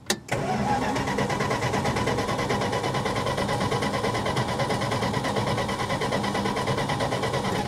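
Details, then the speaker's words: 1966 Plymouth Fury with new coil, gapped plugs, wires, cap and rotor, and confirmed power and ground: steady starter cranking about one beat per second, turning over but never catching, crank no start from suspected no spark. "there's absolutely no reason for this thing not to run i'm going to try it again and hope it works"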